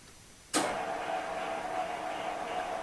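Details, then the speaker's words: Lathe recorded with a remote mic: the motor clicks on and settles into a steady, even hum with a light whir, making little noise, as on an average running day. Normal lathe running. "well let's have how would be for an average sort of running day it doesn't make a lot of noise off the cutting tool"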